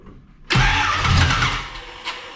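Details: Camaro after new battery and distributor cap, distributor being adjusted: engine catches with a sudden roar, then sags and stumbles within two seconds and won't settle; ignition timing still off, being dialed back.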